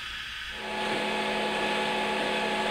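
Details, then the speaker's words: Wanhao Duplicator i3 3D printer Y axis after replacing a dragging LM8UU linear bearing, printing a test: steady even motor hum, clean low tone, no rattle or scraping; axis slides smoothly after repair. "all righty I got her all put back together and just sounds real good"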